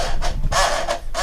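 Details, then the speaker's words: Panasonic 3DO FZ-10 with seized laser sled motor, after WD-40 and too much silicone grease on the gears: disc drive gives a rough scraping grind in surges about every half second while loading a game, sounding worse than before; binding suspected. "we got the game powered on take a look the screen oh that sounds even worse"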